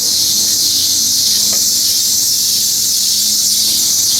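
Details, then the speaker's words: 1999 Chevrolet Tahoe in shop during pitman arm replacement, nearby running vehicle: loud, steady, high-pitched squeal without letup; suspected slipping drive belt needing tightening or replacement, not confirmed. "Sounds like somebody out there needs a new belt. Need to tighten."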